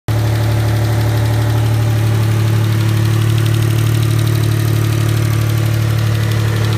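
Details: Mitsubishi GTO MK1 twin turbo (3000GT) V6 idling steadily with a light, quick ticking on top, before the lifters were replaced: hydraulic lifter tick.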